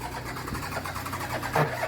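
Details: VW Touareg diesel with fault code P0087, low fuel pressure, after a fuel fitting was nipped up: steady rhythmic starter churn but never catches; owner still suspects an injector, hydrolock.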